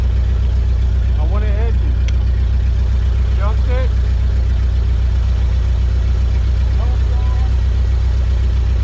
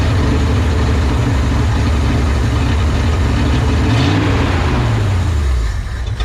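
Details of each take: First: 1970 Ford F-250 V8, field-find truck sitting untouched, first start attempt after battery trouble: steady, even low rumble at idle with no knocks or misses, running smoothly on its own. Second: 1970 Ford F-250 field-find first start with an electric fuel pump and timing unchecked: a loud, lumpy idle that surges and stumbles. Carburetor rebuild suspected. Rough running from carburetor fault.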